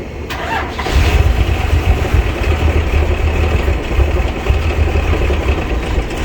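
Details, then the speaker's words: 1990 Bluebird bus with turbo Cummins diesel, after fuel system bled and battery charged: short crank, then catches into a deep even idle; runs better, though throttle still not working properly. "As you can see, and the throttle's still not doing its thing, but it runs better, that's for sure."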